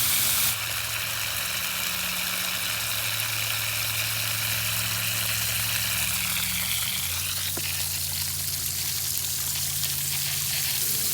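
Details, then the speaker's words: Pool cleaner backup valve, fixed from sticking and slow closing by reseating its small gear. A steady rush of spraying water over a low hum that drops in pitch as it switches over; normal backup mode operation. "Now we're going to open. That would be your normal backup mode."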